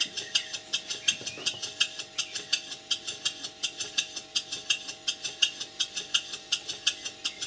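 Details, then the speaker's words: Newly assembled model engine on its first test run on compressed air, valve timing just set and bearings heavily oiled. Slow, steady, crisp exhaust chuffs at roughly eighty a minute, evenly spaced and running quite well; the builder notes a tight spot expected to wear off. "Right, the engine's running, and it's running quite well."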